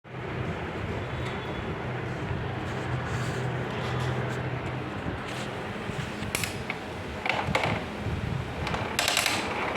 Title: HP LaserJet MFP M227 printer noise problem